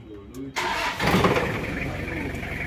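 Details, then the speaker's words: Diesel engine (likely Kijang) after adjustment; the owner suspected valve clearance but the noise was traced to the injection pump. Starter whirs, then the engine catches and settles into a steady, even idle with uniform, standard clatter, not too rough. "suaranya Udah adem halus enak terus tadi udah dicek sama orangnya untuked perbedaan sebelum dan sesudah disetel ini suaranya Udah bisa dihitung untuk kemelitiknya itu rata dan gak terlalu kasar juga gak terlalu halus udah standar"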